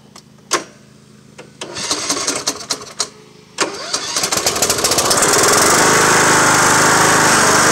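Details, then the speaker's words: Cub Cadet lawn tractor with blades engaged while cutting, also scraping the lawn and cutting low on one side: harsh metal-on-metal scraping grind over steady engine; worn mower deck spindle bearings (baleros). "cuando pongo las navajas a trabajar tiene un ruido metálico un ruido feo no un ruido fuerte como un metal con metal los baleros"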